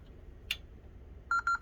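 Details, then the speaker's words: Brand-new Honeywell 128FBPT alarm panel with random ground and zone faults: pushing on a faulty board terminal block makes a sharp relay click and then rapid keypad trouble beeps about six a second; the bad terminal block is the cause. "You hear it click, that relay go. It sends in the fault right there."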